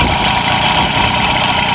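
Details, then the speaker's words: MBK 51 moped with Cobra exhaust cracked and broken off, can't be fixed in place: loud, raspy, crackling idle with harsh open blat and no muffling; cracks to be ground out with a Dremel and rewelded. "Elle a carrément pété. Pété ici. T'as bien compris le bordel quand t'entends le bruit."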